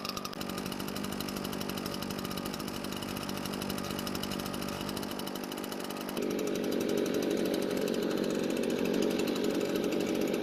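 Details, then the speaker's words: Garage-sale RedMax backpack leaf blower, two-stroke, run with air filter removed to test it: steady even buzz lifting cleanly when throttled; runs okay without the filter, carburetor not leaking. "so it ran okay without the filter so the next thing to do is just put the filter back on and see if it changes anything"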